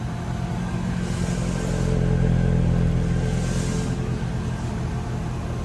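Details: Car started by remote start after the exhaust was installed and coated, checking for leaks; fuel pump audible: smooth, even low idle rumble with no ticking or puffing at the joints, no leaks, exhaust sealed and healthy.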